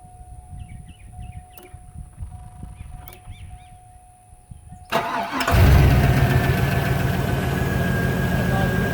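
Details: 2000 GMC Z71 with a hard-starting problem and no check-engine light, just after a new fuel pressure regulator is fitted and the key cycled to pressurize: quiet at first, then the engine catches promptly on the first try and settles into a steady, even idle. Starting is healthy.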